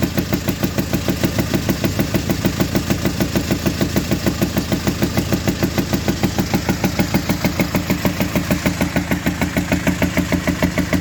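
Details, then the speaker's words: Hyundai HR 16-valve diesel, 2014/2016, at idle: hard, loud metallic knocking at about three per second with pops. The engine has broken rocker arms and tappets; broken rocker arm knock. "agora eu vou virar a câmera então como pode ver esse carro tá com barulho muito forte dando uns estouros no fio de agora"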